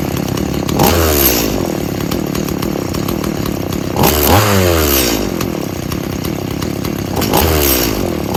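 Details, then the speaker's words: About 19-year-old Stihl MS170 chainsaw that needs a lot of fuel and bogs: revs rise in bursts about every three seconds, then sag back instead of holding high speed; an air leak is suspected, not confirmed. "right, so we obviously got a air leak."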